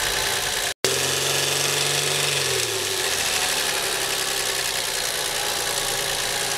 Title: car engine rattling - What's this Noise?